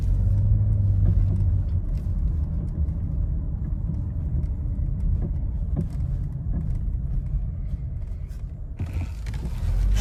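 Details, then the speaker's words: Nissan Rogue driven just after an engine replacement at another shop, with no mileage on the new engine: dull, loose clunks through the road rumble over small bumps; a worn or loose sway bar link. "Can you hear the knocking noise? I mean, I literally just got this back. Has no mileage on it from with a new engine, and this is the noise I get."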